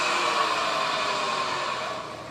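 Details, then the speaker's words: BMW 740 (G series), 76,000 km, on lift with wheels driven: loud steady jet-like howl with a higher overtone, louder with speed, changing off throttle, fading as wheels slow; worn rear differential, gold-flecked oil. "这种声音啊，跟那个开飞机一样，非常的响。那么我们已经可以明确的断定为是什么？它这个超油器的问题。"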